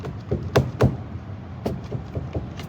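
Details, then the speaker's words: Dodge Hellcat rear differential with the car raised and exhaust removed: sharp metallic clunks in uneven bursts as the pinion is rocked by hand, showing excessive, audible pinion play. The owner blames a shop's work and says the diff must come out. "So, this pinion has a ton of play in it, dude. This is not going to cut"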